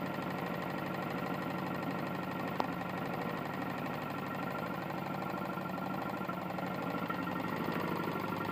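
Small mower engine running with a steady dull knock through the exhaust beat, consistent with a badly worn connecting rod.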